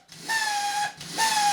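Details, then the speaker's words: DeWalt hand drill damaged by drywall dust: two short bursts of thin, high motor whir that sag in pitch. It spins up in one direction, but in reverse something seems to obstruct the motor; the cause is suspected, not confirmed. "you see that it kind of has a problem with the motor. If we reverse it, and it seems something to be stucking it in, because if I leave it like this, then it spins up, but this way something gets in the way."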